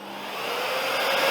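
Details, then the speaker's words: Zelmer Odyssey 1700W vacuum cleaner after repairing the variable speed control, with the minimum setting adjusted: the motor whine climbs smoothly from slowest to full speed without surging or cutting out. It now works properly. "but it's working at its slowest possible speed which is running now I'm not sure if you can hear it and we can accelerate beautifully right through the whole scale"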